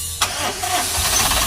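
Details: Suzuki Super Carry with hot hard-starting: brisk, fast, even cranking catching almost at once with no dragging; starter turns engine strongly.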